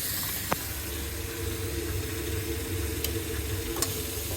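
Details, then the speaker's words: Baxi Potterton Promax 28 Combi ErP after diverter valve motor replacement, in hot water mode: runs quietly with only a soft low hum and faint hiss, no noise; the loud noise had been mainly in heating mode. "no noise again let's just make sure we've not getting any heat coming down the flow pipe to the radiators"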